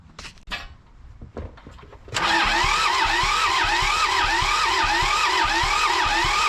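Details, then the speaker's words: John Deere 650 with a two-cylinder Yanmar diesel, sat 15+ years, cranked to bleed the reconnected injection lines: handling knocks, then a slow, labouring starter whir with even compression beats near four per second on a weak booster pack. It does not start. "this isn't cranking fast enough or my booster Pack's going to die"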